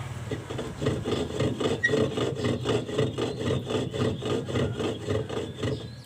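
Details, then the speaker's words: Toshiba inverter washing machine that won't wash or spin: rhythmic scraping rasp about twice a second as the drum turns, the direct-drive motor rotor rubbing a stator tilted out of position, attributed to stator coil bolts working loose. "ที่เจออาการของมอเตอร์dirนะครับไม่ว่าจะเป็นยี่ห้อไหนก็แล้วแต่นะครับอันนี้เป็นชีโชีอ่าอาการมอเตอร์เบียดนะ"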